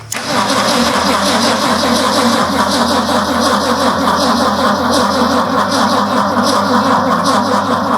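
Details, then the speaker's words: Project truck's first start attempt after the build: steady, even cranking for eight seconds that never catches. Fuel tank and line were empty, and the fuel still has to be pulled up to the engine; battery possibly weak. "so what we have going on is that whole fuel line was empty and that tank was all the way empty and so we felt we put fuel in the tank but now it's happened to pull it all the way up and it's going to take a little while before it gets up here"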